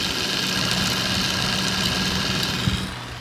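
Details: Sapphire Nitro RX 470 graphics card, secondhand, whose front fan was said to make noise: steady whirring hiss with a constant high whine and low hum, then it drops away as the fan stops; noisy fan.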